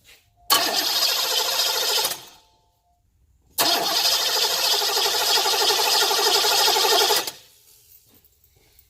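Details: 1990 Cadillac that starts cold but won't restart once warm: two bursts of steady, normal-speed starter cranking that never catch or fire. There is voltage at the coil but no spark at the test gap, traced to a failed ignition coil, not VATS.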